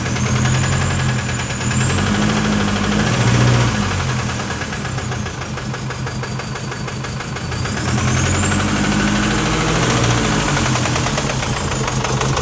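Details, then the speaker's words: Knocking diesel in a 2019 Chevy Colorado (BabyMax diesel), about 4,000 miles after purchase, revved: sluggish rise and fall over a hard, steady internal knock, very little throttle response, heavy smoke; turbo or injector suspected. "I mean, there really isn't much throttle response either. Very high lack of throttle."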